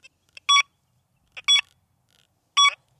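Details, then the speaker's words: XP Deus II metal detector at reactivity zero, three evenly spaced high beeps, each long and sustained; higher reactivity shortens the tone; long target tone at reactivity zero. "Now let's raise the reactivity to the highest setting of five. Same switch speed. You hear the length of the signal shortened."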